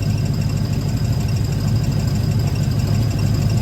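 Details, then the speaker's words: 1995 Ford Mustang GT with adjustable clutch cable, idling outside after clutch cable adjustment, clutch pedal out: rough, uneven low rumble with faint irregular chatter, quieter than before but still present; release slack suspected. "so we got the car running pulled it outside and as you can hear it's still kind of there but it's not as bad as it was before"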